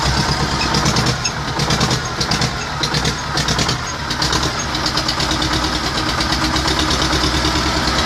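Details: T-25 tractor diesel engine after repair, normal idle: even diesel clatter at a steady idle, no misfires or heavy knocking; engine sounds settled and healthy.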